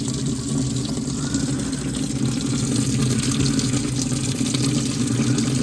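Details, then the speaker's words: RV washing machine, owner checking for a leak, standard wash on low water level: steady rush of water filling the tub under a low motor hum, no drips or spatter; no leak so far, washer fills normally. "Noisy. Noisy. It's a washing machine."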